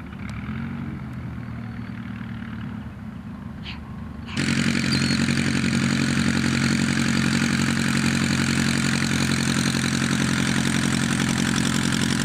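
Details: Pietenpol aircraft engine after rebuild, on the ground around its test flight: quiet at first, then it catches and settles into a steady, even beat of about 220 pulses a minute with no misses; healthy running.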